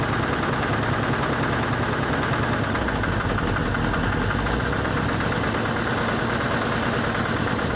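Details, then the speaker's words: 1983 Ford E350 RV (Econoline chassis) engine after draining coolant contaminated oil: starts, no smoke at first, rough loud V8 idle with a faint rapid ticking knock, little power; knock source unclear, black smoke followed. "She turned over, that's good. Yeah, she's not even smoking anymore. Still sounds like there's a knock or something, but no smoke is good."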